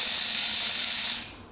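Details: Buzz coil powered by jumpers from a battery, before points adjustment for proper current draw: a high, harsh continuous buzz for about a second, then a clean cutoff. The points are vibrating, not yet adjusted.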